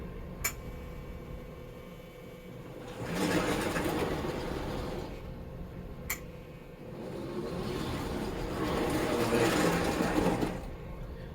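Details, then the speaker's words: 1958 American Flyer S gauge five-digit Alco diesel locomotive set, powered up. A soft motor hum rises and falls in two runs, each set off by one sharp click as the reverse unit switches direction normally. "you can hear just one click and the direction goes"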